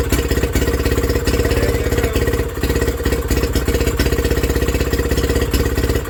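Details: Villiers WX11 stationary engine just after first start, burning off rich mixture from repeated cranking: uneven single-cylinder chuffing at about 200 a minute, surging as speed hunts; carburettor needs adjusting on top.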